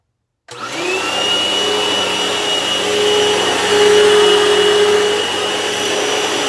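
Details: Vacuum plugged in at the start of a belt-replacement lesson: a steady, even motor whine with a clean high tone and no slapping or squealing. It runs smoothly and sounds healthy.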